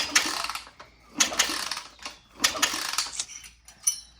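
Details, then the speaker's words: Honda TRX250X engine rebuild on the bench, turned by hand in gear before carb and wiring fitted: slow clicking bursts about every second, no hard metal strike; pistons and valves clearing. "Well, our pistons aren't hitting the valve, so that's good. Our valves aren't hitting the piston, I think."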